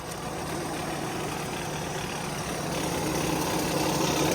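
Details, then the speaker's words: Via Motors VTrux, low mileage, V6 under the hood idling as the front clutch driving the generator disengages: loose rattle about four per second, diesel-like; not an exhaust leak, normal clutch chatter. "Now the clutch is disengaging. Sounds like a diesel. Okay, that's not an exhaust leak. All right, so that's about as loud as it gets. At idle, it sounds almost like a diesel."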